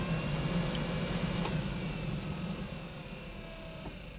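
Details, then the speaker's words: 1988 Chevrolet Suburban HVAC blower fan, final test after substituting a standard relay for the GM blower relay and bolting everything down; steady low hum with an even, smooth whoosh, no rattle or squeal; blower works normally. "yes indeed she works uh so i guess i mean yeah i have to keep that in mind and remember that standard relay substitution for the gm blower relay"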